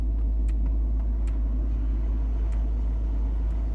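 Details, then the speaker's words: Range Rover heater blower after replacing the final stage resistor under the dashboard: steady even fan rush with low hum, no rattles or squeals; blower working normally again. "hey you hear it it works okay it works it blows really well okay oh okay so that is fixed"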